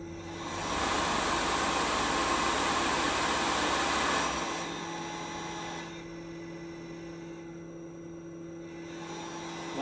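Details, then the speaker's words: Replacement Tormach RapidTurn drive motor run with the belt off: smooth steady whirr, no ticking, even wind-down, so the motor is fine and the ticking is presumed to come from the spindle bearings. "not there no tickity tick tick snare so sounds coming out of spindle bearings I presume"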